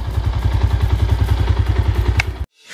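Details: Yamaha SZ single-cylinder motorcycle after air-injection intake and exhaust ports disabled to cure backfire: firm even exhaust pulses as it revs and drops back, no pops on decel; normal revving, running clean.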